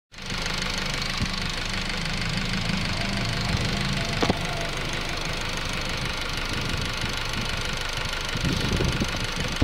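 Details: 2008 Honda Civic EX petrol engine idling with a loose, somewhat irregular knock at about three to four a second, heard from the rear at different times; cause unknown.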